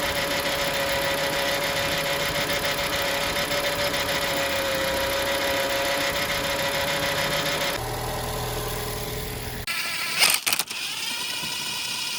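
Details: Copart car engine, long unstarted, idling with a quick uneven light knock about three to four per second over a steady hum; owner decided the water pump bearing makes the noise, but swapping water pump and alternator did not cure it, cause unconfirmed.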